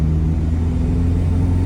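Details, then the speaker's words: 2004 Mazdaspeed Miata at 40 mph after differential replacement to cure a wailing noise: steady low road rumble with no whine, though a separate rattle remains. Normal rear differential, no whine. "It's not whining. It is like objectively not whining. It would be whining right now."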